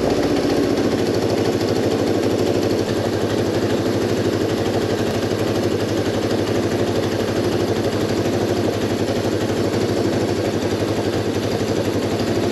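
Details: Moto 4 small single-cylinder: uneven, choppy idle beat, revs slow to settle back down after blipping; idle hang, fixed by backing fuel screw out about one turn richer.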